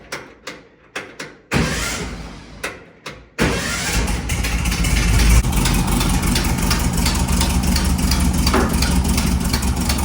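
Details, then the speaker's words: 1958 Karmann Ghia air-cooled VW engine, first start after rebuild, valve rocker clearances adjusted and carb swapped: a few clicks and a false catch, then fires and settles into a steady, even idle with no knocks or misses. "So, that's how it was just um setting the rockers, the adjustments on the valves, and it turned right on."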